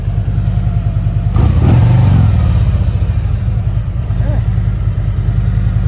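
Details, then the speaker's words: Damaged motorcycle at Copart auction with damaged forks and front-end damage: even low idle thump with a quick clean throttle blip rising and settling smoothly; runs and sounds good, normal idle and rev. "Well, she runs. Sounds good too, I ain't gonna lie."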